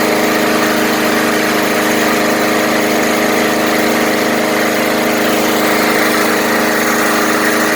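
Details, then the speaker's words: Murray 20" Select mower with 4.5 hp Briggs & Stratton engine after tune-up (cleaned, coil gapped to 0.004 in, stop bar clamped, HD-30 oil), previously running poorly: loud, steady, even buzz with no surging or sputtering; sounds brand-new. "wow what a difference it sounds like it's brand-new"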